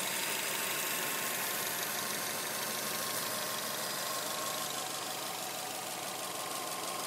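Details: 2007 Subaru Legacy spec.B at idle: fast, fairly regular metallic clatter, about three taps a second, over a steady idle; source not yet found. Engine clatter.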